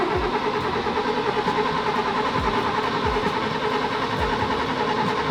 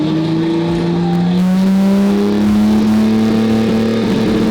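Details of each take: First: 1966 Mercedes 220S, sitting 25 years, carburettor fed from a bottle by an electric pump: the starter churns about three times a second with no firing. Crank, no start from no spark due to damp plugs; it started after the plugs and connectors were dried. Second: 1966 Mercedes 220S, first run after about 25 years stored, fed directly from a bottle via electric pump to the carburettor after drying and cleaning the spark plugs: revs rise smoothly with a clean note, no misfire or clatter; normal revving.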